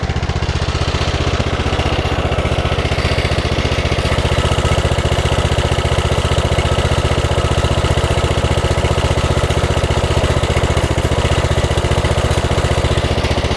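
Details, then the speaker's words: Mower with about 23 hours, under a year old, still sounds bad after dealer warranty work: rough, lumpy low idle with an uneven beat over a steady drone, worsening the longer it runs; sounds fine at high idle. "The longer it runs, the worse it sounds, especially at low idle."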